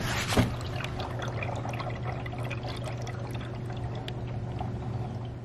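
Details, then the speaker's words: Veteran Sherman-S electric unicycle, coil-spring oil-damped suspension with no air: liquid slosh and trickle as the wheel tilts, no knock or squeak; normal suspension oil slosh. "it's also funny to hear how the oil moves around when you tilt the wheel"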